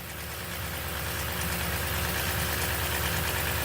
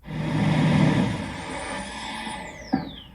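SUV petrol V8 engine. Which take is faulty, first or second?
first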